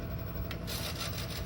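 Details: Whitfield Quest Plus FS pellet stove, pellet auger just switched on during startup: low hum with a soft scraping feed noise coming in partway; auger turning normally.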